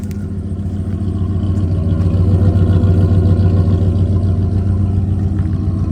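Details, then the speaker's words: 1997 Dodge Ram Laramie SLT V8 idling after new spark plugs, plug wires, distributor cap and rotor. Before the work it would not start and sputtered. Now a deep, even burble with clean firing; slight squeak, probably a pulley or water pump. "So, yeah, it didn't start before and it was sputtering. Now, it sounds good."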